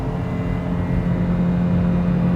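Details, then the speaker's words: Old automatic car, run-down: engine held at high droning revs with a steady low tone that never drops for an upshift; automatic transmission won't shift out of second gear. "fast way to blow up a motor she won't she's an automatic it won't shift out of second gear"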